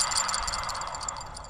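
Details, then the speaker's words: Classic Mini Cooper RSP rear wheel hub removed and turned by hand: gritty, scraping, rough rattle, so the possibly original rear wheel bearing is worn and past its best. "but this is what the bearing sounds like. You can hear that kind of scraping, rough, rattly,"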